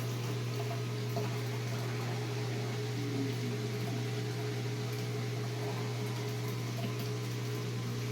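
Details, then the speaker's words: Whirlpool Duet washer with newly replaced drain pump (fitted for long drain and door locked errors): steady low electric hum with faint gurgle of water flowing out the hose, no rattle or grinding; normal drain pump operation. "I can really hear the hose coming, the water coming out of the hose here."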